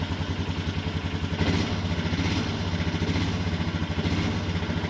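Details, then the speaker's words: Honda Foreman ATV after electric shift motor replacement idles evenly, then drops into first with a short soft clunk while the idle stays steady; it now shifts much more easily, a normal gear shift. "Nice, it sounds better. Sounds like it shifts a lot easier."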